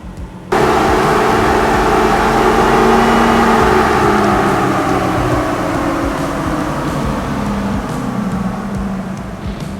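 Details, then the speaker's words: Toyota Tacoma 4.0L V6 with Magnuson supercharger and CSF radiator, being tuned with HP Tuners at part throttle, fuel trims near ±5%, 14.7 air-fuel: loud steady drone, even, no knocks; healthy running. "we're gonna do a little bit of part throttle testing see what the airfield looks like at part throttle and if that looks good then we'll go on to wide-open throttle"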